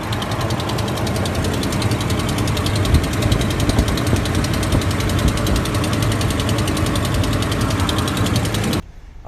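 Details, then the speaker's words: Dodge Ram 1500 5.7L Hemi, cold start: sharp rapid ticking over the V8 idle, like a lifter tick but an exhaust manifold leak at broken manifold bolts; fades as the engine warms. "it really sounds like it has a lifter tick it has a really noticeable loud ticking sound when you first start it up especially when the engine is cold"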